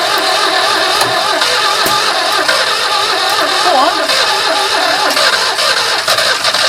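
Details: 2CV-engined handmade three-wheeler barn find, stored 25 years, just started after starting spray: the twin catches and holds a steady, even idle with no misses or knocks, running cleanly; normal idle.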